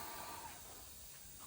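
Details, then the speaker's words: Newly installed airbag suspension on tow setup, bags filled to about 10 psi: faint, steady high hiss of escaping air from the expected airbag fitting; air leak at airbag fitting. "Fill your bags. And we're leaking out of the one I thought we would leak out of. I can hear it."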